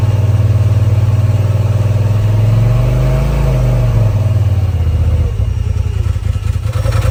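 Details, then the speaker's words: Polaris RZR XP Turbo, first start after installing a TPR valve cover, charge cooler, timing tensioner and full-flow kit: catches at once, steady low drone swelling with light throttle, no misses or knocks, no codes; running healthy. "And you might hear the fan kick on. Wow, fires right up. No codes."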